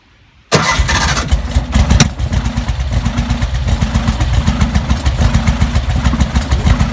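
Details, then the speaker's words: Porsche 356 Speedster won't start: starter spins the engine in a steady, even chugging rhythm for several seconds but it never catches; behaves as if there's no fuel, gauge reportedly showing no gas. "Just like there's no gas. Yeah, that's how it looks like."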